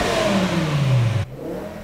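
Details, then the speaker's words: Warmed-up BMW M6 V10 revved after warm-up: smooth throaty rev climbing and dropping cleanly without misses, knocks or rattles, more like a refined Viper than a shrieking LFA; healthy engine. "it sounds more like a Viper like a refined Viper than say a Lexus LFA which screams like a banshee very high pitched or a Carrera GT so much more muscly and throatier that sounds so good"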